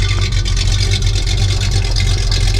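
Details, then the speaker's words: 1973 Plymouth Roadrunner, original 318 V8 with about 23,000 miles, recently cold-started, heard at idle from the rear exhaust: a deep, throaty, steady burble with an even pulse and no misses or ticks. The exhaust idle is normal and healthy. "Now you can hear it running. Hair out sounds, it's got that nice throaty sound to it. It sounds like a really mean race engine, but it's just a 318."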